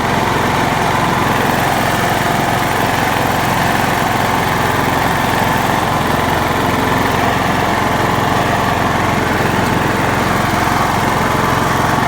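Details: John Deere LX172 mower with the carburetor fuel solenoid hot-wired to the battery: the small single-cylinder engine runs steady and even at a constant speed with no misses or surging; normal running.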